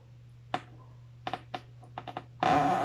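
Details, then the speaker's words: Refrigerator compressor replugged immediately after unplugging during a PTC relay demo; low steady hum with clicks and a short buzzing burst, stalled without starting at high current, then overload protector trips and heats up. "mag-start. High ampere po. Ayan. Sumataas yung amperahe. So yan, hindi po umandar yung ating compressor at nag-trip na po yung ating overload protector."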